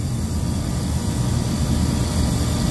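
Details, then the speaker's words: Walk-in freezer refrigeration compressor with the box at about 23°F, suction line warm and sight glass possibly flashing: heavy, steady low drone with a rough churning undertone; suspected internal compressor bypass. "sounds like it's bypassing or something, like it's an internal bypass."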